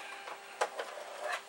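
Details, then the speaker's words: Amiga 2000HD internal floppy drive tested with its power supply: quiet irregular clicks and short seeks with a light whir between, no grinding or stuck knocking; the drive reads normally. "it seems maybe after 20 or so years it just needs a little waking up cool well it is nice to know but it seems that this drive is working"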